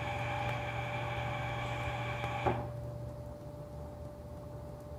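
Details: Centroid SC300P olfactometer purging its sniffing ports for 10 seconds: a steady airy hiss over a faint mains hum, cutting off cleanly about halfway through; the purge flow sounds normal.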